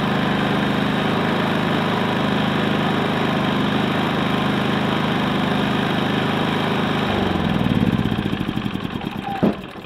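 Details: Predator 3500 inverter generator, 18 hours old, after the clogged spark arrestor was cleaned and refitted: steady even drone about seven seconds, then winds down with slowing pulses; runs smoothly without surging or stumbling.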